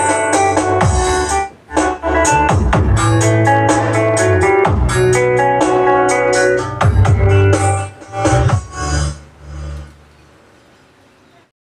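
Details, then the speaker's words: Sakura AV-5023 amplifier after replacing the 4558 op-amp IC in the control section; it had cut out for 5–10 seconds and returned distorted: music plays loud and clean with clear guitar and bass, no crackle, buzz or distortion. "Mga boss. So okay na to. Bale naging problema lang nitong amplifier na to yung kanyang mismong IC na 4558 dito sa kanyang control."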